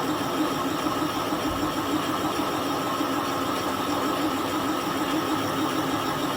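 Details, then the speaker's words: Boring operation repairing the clamping jaws of a Kasto EBS 400 power hacksaw, feed at 0.4 mm per revolution: steady hissing cut with a faint repeated scrape as the tool contacts the bore wall. "Okay, there sounds Like we're hitting the side of our bore. Okay. Reverse the machine."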